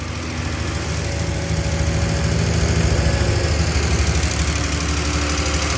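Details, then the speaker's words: 1971 Triumph TR6 six at lumpy idle after 20 years laid up. Rapid, light, uneven valve-gear clatter. The rocker shaft's oil hole is thought to be misaligned, and crud on the pivots is suspected; the plan is to unbolt the shaft and shift it back. "I was hoping while I was rocking I'd be able to to work it, but I might have too much crud on it."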